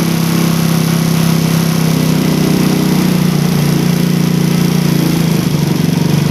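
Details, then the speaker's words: Single-cylinder engine with its carburettor revving, air screw set by the second method to 2.5 turns, matching the idle method: crisp, even revs with no popping, hunting or stumble, so the mixture is properly set. "Nah ini udah mantep guys. Kita coba hitung dapat berapa putaran ya."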